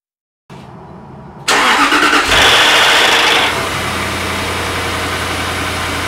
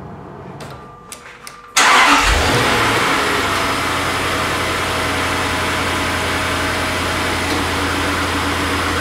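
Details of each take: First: 2004 Jaguar XK8 cold start: loud starter pre-engagement, about six cranks, then a very loud metallic top-end timing chain rattle that fades within seconds into steady idle; addressed with a pre-lubrication system. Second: 2004 Jaguar XK8 cold start after oil pressure was raised first by cranking about six times with fuse pulled; quick catch and flare, then even idle with no loud start-up chain rattle; clean quiet start.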